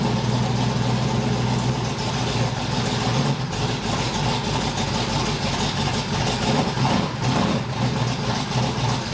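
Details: 1981 Cutlass Supreme small-block Chevy V8, cold start during hot-lashing with the polylocks retightened: it stumbles and shakes at idle with uneven chuffing and faint popping. Owner wonders if he was overzealous; the valve lash is overtightened.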